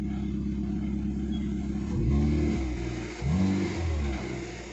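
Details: Hyundai i10 Grand push-button start, after ECM repair for intermittent start/no-start and shutting off: engine catches cleanly on one press, two smooth rev blips settle evenly, no misfire or knock; running healthy.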